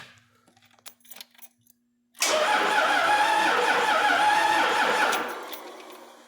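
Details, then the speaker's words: Cummins diesel with Allison transmission from a bus chassis, sat outside about 3.5 years, relay bypassed; about three seconds of sluggish cranking that never catches, second battery planned; slow cranking, weak battery suspected. "okay that sounds good so we're obviously cranking too slow so the next thing we're going to do is get us another battery"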